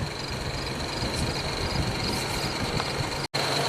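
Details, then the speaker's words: 1995 Jaguar Vanden Plas straight-six, engine off after a drive, ignition off: steady low whir with faint hiss as radiator cooling fans run on low speed; timing run-on, complaint is fans staying on and draining the battery. "Alright, so I drove the car, ignition switch is off, fans are on in low speed. So let's see how many minutes they run."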